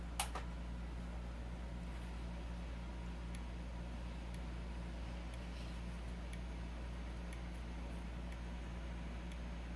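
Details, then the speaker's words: Edwards EST 757-5A-CS Integrity chime strobe, strobe-only test on a 12 V DC bench supply; sharp ticks about once a second over a low hum with a faint high squeal, normal for this enhanced, synchronizable strobe. "As you can see, it does make that high-pitched squeal because this is an enhanced strobe."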